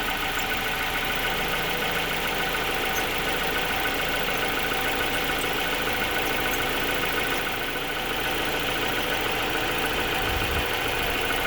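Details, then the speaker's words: 2004 Nissan Pulsar N16 QG18DE, 120,000 km, after repairing a head gasket burnt between cylinders 1 and 2 that caused rough idle, misfire and shaking under load: steady, even engine note with no stumble; smooth, normal running. "Clean this up and then we'll throw it all back together. And this is how smooth it should be."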